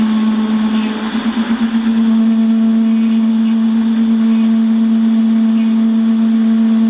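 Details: Holzmann ED400FD lathe at 600 rpm with automatic feed, turning bar down toward 24.85 mm diameter: steady ringing mid-pitched tone, briefly wavering and buzzing early on. Chatter because the workpiece is clamped with long overhang, tailstock centre remedy mentioned.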